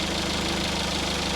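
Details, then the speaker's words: Small car idling after its earlier squealing noises were fixed: short, steady hum with an even low beat, no squeal or grinding; engine idles smoothly, owner reports 25–26 mpg average. "How much better is that? Purrs like a kitten."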